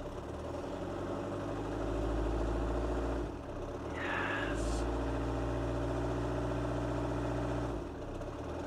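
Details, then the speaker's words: Mini Paceman after a long layup, cold first start with a new key: steady, even low idle hum with no knocks, just a brief chirp. Initial horrible noises are probably pulleys; power steering works and it needs warming up. "that sounds lovely power steering's working it probably just needs a little minute to warm up you know get used to running again"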